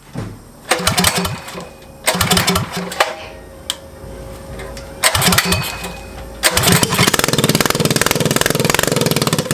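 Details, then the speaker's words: Motovox mini bike with Predator engine, abandoned outside two years: catches and runs briefly then fades out repeatedly, only runs on choke; owner plans to richen air mixture screw. Lean mixture. "all right so the problem that we're having now is the bike runs on choke but once you put it onto um basically take the Chuck off it want to turn off"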